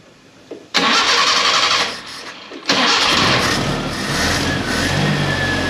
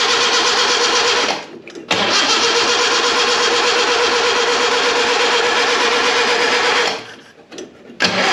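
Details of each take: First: Premier 118 NE car started after sitting unused a long time: starter cranks briefly, engine catches, drops back, restarts and revs, then settles into steady idle; starts and runs fine. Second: Premier 118 NE car that sat unused for a long time: repeated long cranking bursts of several seconds each, starter turns but the engine never fires; crank no start, cause not confirmed.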